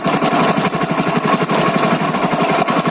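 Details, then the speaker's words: Hero Splendor Plus BS6 single-cylinder bike at idle before timing chain replacement: fast tinny metallic clatter over the idle, loose slack timing chain slapping its guide; chain to be replaced. "तो इस तरह की होती है timing चैन की sound, आपने शायद सुन लिया होगा ध्यान से।"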